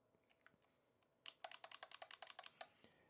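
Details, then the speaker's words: Mechanical keyboard typing: bursts of sharp, uneven clacks about three or four per second from modifier keys that aren't lubed properly; modifier key rattle. "think the mods are lubed at all ooh that's very unfortunate"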